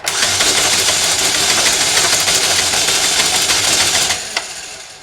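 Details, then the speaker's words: 2012 Chevrolet Malibu Ecotec 2.4 L being diagnosed for P0341 cam sensor code: starter drags sluggishly with uneven churning, about three turns per second, then stops; slow cranking, suspected dead battery. "i'm just gonna crank the engine over and uh what's going on there sounds like i got a dead battery or something"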